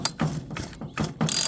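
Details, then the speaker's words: 42cc homeowner chainsaw, possibly a rebadged Poulan, that won't start after sitting for years: slow cord pull gives a few even solid compression thumps; adequate normal compression. "it seems to thump okay now these don't have a ton of compression or anything like that okay"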